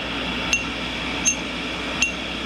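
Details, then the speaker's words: Ring test of a vitrified aluminum oxide grinding wheel for a Cincinnati tool and cutter grinder: three light taps each give a clear, high bell-like ring that dies quickly. The wheel is sound and uncracked; a cracked wheel would give a dull thud. "So you take just any wheel, hear that little ring?"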